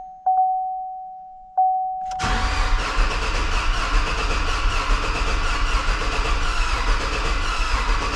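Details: 2016 Chevrolet Silverado rebuild, first start attempt with the serpentine belt and coolant not yet fitted: the starter grinds for six seconds with faint sputters and never catches. Fuel lines had been apart and no fuel was reaching the engine; a ground was also missing.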